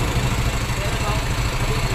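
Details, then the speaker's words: Yamaha Mio MXI 125 scooter after repairing an engine that had run dry of oil (was smoky and noisy): steady, even low thump at idle, no knocking or rattle, no smoke. Normal idle. "okay na yung makina yan wala maingay na rin yung uso"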